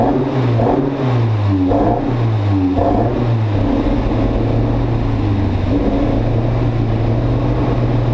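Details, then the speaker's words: Mk1 Fiesta XR2 freshly converted to Jenvey throttle body and Omex 600 EFI, just fuelled and started: revs surge and sag unevenly then settle into a lumpy drone. Still not running right; new spark plugs to be tried, cause unclear. "so it's still not running quite right"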